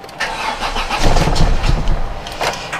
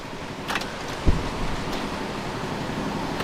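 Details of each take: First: Volvo 480 project car, first start after replacing the CEM and repairing the fuel filter pipe, fuel pump heard running: starter churns in steady rapid pulses with faint attempts to catch; long crank from fuel starvation until fuel gets through. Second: Volvo 480 after CEM replacement: short bump, cranks, catches and settles to a steady even idle with no belt flap; a slight exhaust leak remains from a failed joint repair, normal idle.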